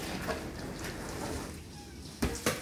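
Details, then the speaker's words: Arçelik dishwasher that takes in water but won't start washing: soft irregular bubbling and gurgling, like water boiling, from the filter area in the sump; suspected stalled program, cause not confirmed. "bu işlemi yapmazken de içerisinden su kaynama sesi gibi ses geliyorsa veya kapağı açtığınız zaman iç kısmında hatta gösterelim"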